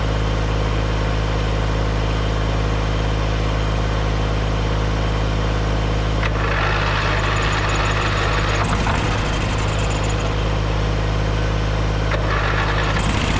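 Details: Small engine that had sat, started after a jump and starting fluid and given fresh gas: steady, even low drone without misses or knocks; normal running.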